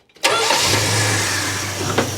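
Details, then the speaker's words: Hemi International truck after fuel system sorting and a new ignition system: it catches immediately and runs steady and even with no misfire, like a champ. "oh yeah runs like an absolute [Music] champ"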